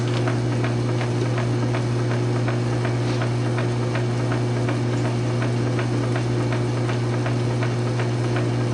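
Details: South Bend 9" lathe converted from Model B change-gear to Model A quick-change gearbox, new 12L14 leadscrew extension, during a slow test thread cut: steady low motor hum, light even gear-train ticking, no grinding or clunks; normal running, thread pitch correct.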